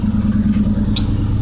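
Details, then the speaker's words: 1995 Honda del Sol with 1.6L engine idling: uneven, lumpy pulse, rough idle and not right when revved; a misfire. "but by starting this car up it it starts up it idles rough and when you go to accelerate [ __ ] pport it starts idle is a little bit rough and then when you rev it you can tell us not right"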